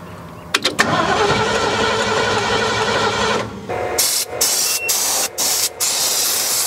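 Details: 1972 Ford F100, unrun over 10 years: starter turns engine over a few seconds, then short cranking bursts, never firing; owner thinks no fuel reaches the carburetor despite hose pressure, suspects accelerator pump or float bowls.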